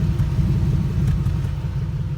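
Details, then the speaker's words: 1998 Jeep Wrangler TJ with swapped-in 5.3 LM7 V8 from a 2003 Tahoe, idling; deep, even low rumble with a steady pulse, no misses or knocks. Normal exhaust rumble. "sounds so good when you're driving it"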